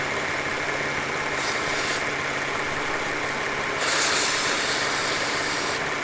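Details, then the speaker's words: Dual-pulley Audi S4 with a rough, surging idle and a hiss of spray during a spray test; briefly cleaning up when sprayed is read as a sign of a vacuum leak. Uneven, lumpy idle; the owner suspects a vacuum leak again. "et you hear it for one second it's kind of idling rough and it's surging so if we spray it this might clean up the idle if it does clean up the idle that tells me that I have a vacuum leak"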